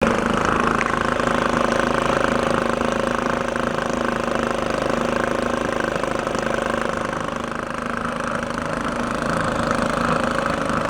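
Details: 1949 Atlas Royal 1.5 hp outboard barn find, after adjusting the air-fuel mixture and warming a couple of minutes: steady buzzy two-stroke beat at about 300 firings a minute, holding even speed; running normally.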